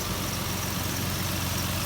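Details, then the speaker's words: 2008 Nissan Frontier V6 burning two to three quarts of oil a week, with very dirty oil, warming up after start: even steady idle, smooth low pulse, faint light tick; no visible leaks, runs smoothly. "no leaks under the hood that we could see motor runs nice and smooth a little bit of a ticking but no big deal"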